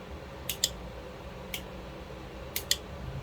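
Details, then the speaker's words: Solenoid valve coil bench test: weak magnetism before power, then on applying power it pulls in firmly with sharp, crisp clicks, some in quick pairs, about once a second; normal solenoid pull-in. "ตอนนี้ก็มีอำนาจแม่เหล็กนะครับมีอำนาจแม่เหล็กแต่ว่าอำนาจแม่เหล็กอ่อนๆนะครับไม่เยอะนะครับถ้าลองเปิดไฟนะครับจ่ายไฟก็จะดูดตึ๊บเลยนะฮะ"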